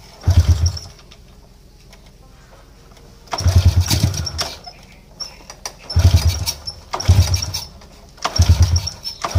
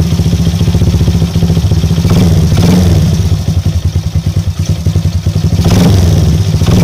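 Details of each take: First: Motorcycle that is hard to start and sputters when it runs: repeated start attempts catch in short, ragged bursts then die; a very weak spark at the plug is the cause. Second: Small motorcycle after a top-end service, which had left it hard to start and stuttering; fixed by replacing the spark plug. Now idles with a steady, even thump and picks up cleanly on two throttle blips. Normal running.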